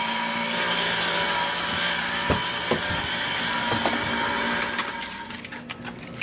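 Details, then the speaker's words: 2001 Dodge Grand Caravan after transmission and torque converter reinstall: steady high whir over the running engine with a few sharp ticks, seemingly from the top of the engine, not there before the work; owner suspects a bad starter, unconfirmed. "ok so I have this noise here and I actually not sure what it is the sounds like is coming from the top of the engine but I'm also thinking that it might be my starter that's bad"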